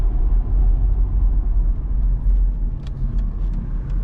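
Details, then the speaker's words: 1992 Mercedes-Benz 500SL (R129) V8 at operating temperature, driving uphill under load, downshifting to second: deep smooth rumble rising and falling evenly with throttle, no knocks or misfires; engine sounds healthy. "The car sounds good. I'm going to downshift it to second."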